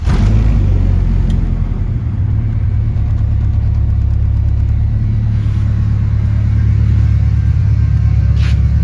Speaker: Wish the camera could get the audio better, because this thing's got a nice good little rumble for a 4-cylinder, but on the camera it just sounds like a little raspy rice bucket.